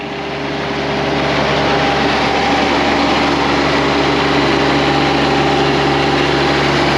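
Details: John Deere X758 diesel after an air and fuel filter change: steady, even clatter and hum at a constant idle with no stumbles or surges. The small diesel is idling normally.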